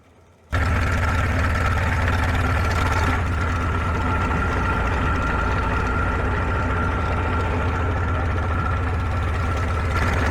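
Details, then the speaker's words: 1947 Farmall H tractor, being converted from 6 to 12 volts with a new generator belt and radiator hoses, running on a temporary fuel can: deep, steady low idle with an even beat, no knocks, good oil pressure; normal idle. "Oil pressure is looking good. Can't really complain."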